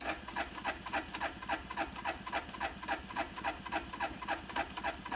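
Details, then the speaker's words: 1988 Suzuki Quadrunner 300, cold at around 20s–30s °F, choke on: steady cranking about three and a half strokes a second, never firing; hard cold start, choke suspected not working since it doesn't change engine pitch, cable unhooked at carb. "but what's going on is when colder weather this is hard to start put the choke on"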